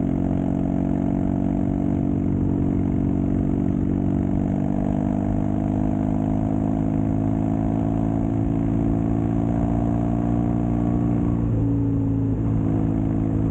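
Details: Custom Triumph Bonneville T100 with Down & Out drag pipes, after stage 1 torque kit and stage 4 ECU remap: steady low grumble at even pitch while riding, no pops or backfires; normal exhaust note.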